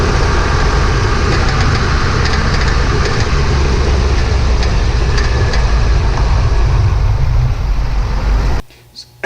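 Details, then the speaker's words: 2007 Chevy 3500 Duramax driving over bumps: heavy road rumble with short metallic front rattles that stop when the brake pedal is held; front brake pads had excess slack in brackets, fixed with new pads and hardware. "so in that clip every time I hit a bump you hear that rattle so I've held my break on the right I've sorry help my foot on the brake pedal and the rattle goes away"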